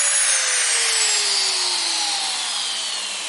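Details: Shop vac brushed motor after repair (bearings greased, rust cleaned off motor) that had squealed and smelled hot: clean high whine sliding smoothly down in pitch, no squeal or rubbing; normal running.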